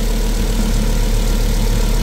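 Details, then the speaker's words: Volvo 2.4/2.5T engine, first start after timing belt change and cylinder head refit: steady even low idle throb, no misses, knocks or ticks; heavy smoke from the catalytic converter, but all cylinders sound like they're firing. "Bet rūts izklausās, ka visi cilindri darbojās."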